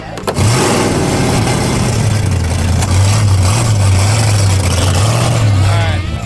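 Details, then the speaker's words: 1976 Chevrolet El Camino drag car, carburetor unhappy after fires and hesitation, with a big hole on throttle: deep lumpy V8 rumble that wavers and stumbles instead of settling, a rough idle. "the track guy just told us they're about to end racing we only get one pass and right now the car doesn't even want to idle yeah and it's got a big hole as soon as you step on it yeah we have no idea but carburetor is not happy"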